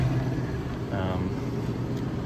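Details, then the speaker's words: Electro Freeze machine, mix pump running after barrel pressure switch replacement, air vent pulled: steady even low hum with no knocks or surges; pump normally pressurizing barrel with liquid toward 30 psi switch cutoff. "I don't have to keep it open the whole time, but you hear that? Alright, so that means you are pressurizing."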